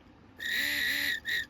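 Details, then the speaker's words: 2008 Mercedes GL550 (X164) multicontour seat compressor motor, reassembled after cleaning out green corrosion, with voltage applied on the bench: short bursts of a thin high-pitched whine, spinning freely; motor works. "Oh, definitely. [gasps] All right. Looks like we've got a working motor."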